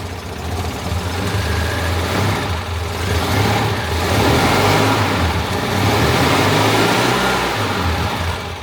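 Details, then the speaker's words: Citroën 2CV flat-twin after tappet adjustment, oil and filter change and cleaned, gapped spark plugs, previously a little tappety: steady even idle with gentle rev rise, no tappet clatter; normal idle. "I'm not an expert in these things, but I would say that that sounds bloody marvellous."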